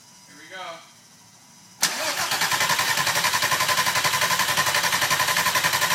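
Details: VW 24v VR6 swap with Unitronic-chipped ECU, new engine harness, stock VR6 throttle body, pedal and MAF: starter cranks evenly about four times a second but never catches; no spark at coil packs, ECU power supply relay fault logged.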